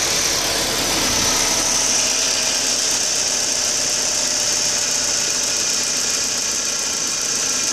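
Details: 2004 Audi A4 B6 1.8T after new water pump and timing belt: steady idle with uneven, hissy lumpiness and no clean rhythm; rough idle, cause not pinned down.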